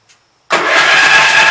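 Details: Gravely Pro 12 tractor, in neutral, remote air cleaner left open (owner suspects water got in): fast hollow cranking, hissy rush, no compression beats, firing back out the intake; stuck intake valve, no compression.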